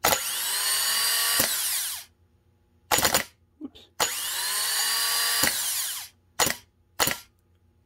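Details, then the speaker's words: Honda Fit starter (31200-RB1-013) bench-tested after rebuild with new bendix bushing, 12 volts to solenoid: two bursts of free high whir with a crisp clack as bendix engages, then even wind-down; starter sounds healthy. "The solenoid should engage, spin the starter, and jump the bendix out at the same time. Just like that. That sounds pretty good to me."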